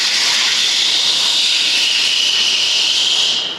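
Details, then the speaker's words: 2012 Alpina B7 F01, high mileage, leak-down test showing near 30% leakage on one cylinder: steady high-pitched hiss of air escaping past a valve that isn't sealing; owner suspects carbon on intake valves gumming up the valve seats. "You hear that hiss? If you hear that hiss, that is air leaking from the valve. And the reason I know that is cuz I can feel it and hear it."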